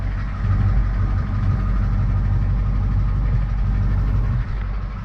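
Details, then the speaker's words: 1982 K20 Suburban diesel 4WD 3/4 ton, after sitting 3+ years: a steady, deep idle clatter with no misses or stumbles. It starts and runs fine; the previous owner suspected a blown head gasket from hard, pressurized radiator hoses. "it starts it runs that's the biggest thing"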